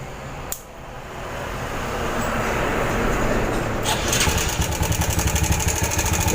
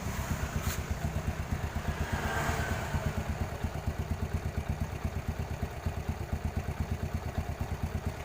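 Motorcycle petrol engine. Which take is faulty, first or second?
first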